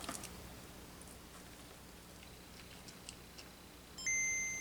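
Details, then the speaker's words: Non-booting Game Boy DMG after CPU rework with hot air gun: short clean two-note boot chime over faint room noise, a normal good boot, first of several test power-ups. "We got a good boot, which is normal. It's what we normally get."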